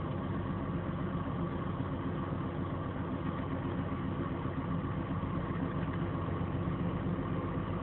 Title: BMW 528i Engine Noise After A Fender Bender